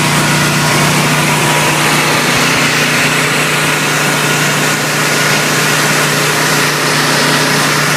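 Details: Briggs & Stratton 20kW whole-house standby generator (same unit as GE/Rheem 20kW), newly DIY-installed, started manually: loud, steady drone with constant low hum, no misses, knocks or surging; normal generator run.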